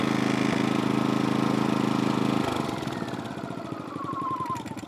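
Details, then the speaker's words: MaXpeedingRODS MXR4000 generator switched off after running unloaded, microphone at the muffler: steady hum drops off, then slowing uneven pulses fade over about two seconds as the fuel shut-off runs the line dry; normal shutdown. "See that? It shuts the fuel off and runs the last of the fuel out of the line so you don't have fuel remaining in that line that could possibly seep out."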